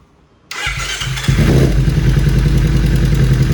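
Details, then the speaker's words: 2013 Kawasaki Ninja 250 FI (EX250-L) twin, 40,000+ km, at idle: rough running with irregular metallic tick-tick not following throttle; weak cam chain tensioner letting chain slap. "Plus kadang ada suara tak tak tak tak gitu yang tidak beraturan, nggak ngikutin suara gas."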